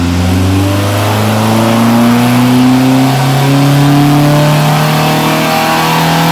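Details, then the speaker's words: Mk1 Ford Escort after rejetting from 140 to 125 main jets because it was overfuelling, on a full-load power run: engine pulls cleanly up through the revs with an evenly rising note and no misfire or stumble; fuelling now okay. "So this time, running up through the revs, it's fueling okay, and we're ready for our power run."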